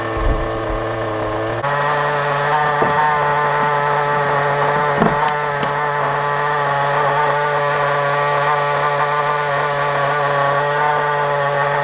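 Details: FTX Carnage nitro RC car left running outside: high, steady buzzing drone that steps up slightly in pitch once and then holds even, no misfires; healthy.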